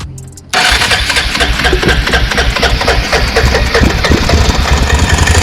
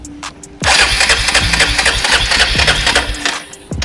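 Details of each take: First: Abandoned 2002 Arctic Cat 375 4x4 ATV being revived, fuel/carburetor issues, new starter solenoid and relay: after starting fluid sprayed in, brief crank then steady, rapid, even single-cylinder firing; runs on starting fluid. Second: 2002 Arctic Cat 375 4x4 ATV, long abandoned, after a new starter solenoid and relay: a short crank on the button, then the single fires and runs on with a busy, even beat; normal start and idle.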